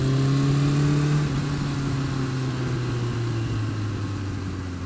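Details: Honda Fireblade engine with fast light ticking, about four a second, as revs drop back, worse when cold, quieter but persisting when warm; top-end tick, cause not pinned down.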